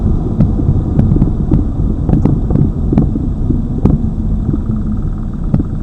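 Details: Lada Vesta Cross, old original right front strut (only the left was replaced under warranty), dashcam aimed at the right strut mount, mount insulated with rags, driving over bumps: sharp irregular hollow knocks over low road rumble; the strong knock persists.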